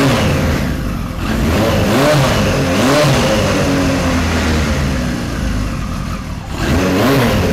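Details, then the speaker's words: 1973 Kawasaki Z1 900, started with enricher after plug caps swapped to non-resistor and number one plug changed: revs surge and sag with a lumpy beat that won't settle, worse than the day before; likely misfiring on a cylinder. "well now it's not running as good as it did yesterday he just doesn't want to"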